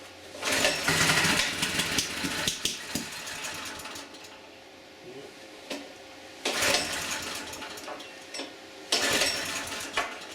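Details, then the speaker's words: Auction generator with a little fresh gas, choke on, in run position: repeated recoil pulls, each with only a stray pop and no pickup; acts like it's not getting gas. "So, got the choke on. It's in the run position. Let's see what happens. Uh-oh, we got a pop."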